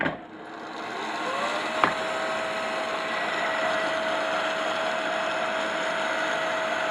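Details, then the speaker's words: Pellet stove exhaust blower removed from stove, running: steady whine buried in rough grinding whir from worn, shot bearings (takes skateboard-type bearings); worse when hot. "kind of here when it gets hot it gets really bad so i've replaced the bearings yeah they're bad they're shot"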